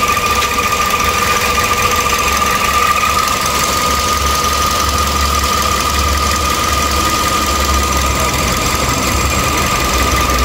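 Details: 2013 Toyota Vios Limo after right engine mount and stabilizer link replaced, fan belt refitted; steady high-pitched crying whine over an even idle, also a noise after shutoff.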